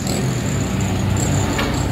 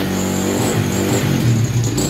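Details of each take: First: Honda Wave 100 after carburetor cleaning: a steady, even engine note with no misses, pops or stumbles; normal running, misfire and backfire cured. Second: Honda Wave 100 kick-started (no battery) after cleaning a carb left uncleaned for half a year: slightly uneven, stumbling revving with the odd miss; the carb air screw still needs adjusting.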